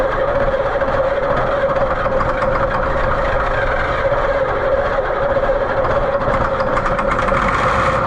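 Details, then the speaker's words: White 4-150 tractor, Caterpillar 3208 V-8 diesel; steady starter drone that never catches, even with ether and extra voltage. Owner suspects insufficient fuel. Cranks but won't start. "Well done. We rode that pony into the ground. I'm just not convinced that it's getting enough fuel."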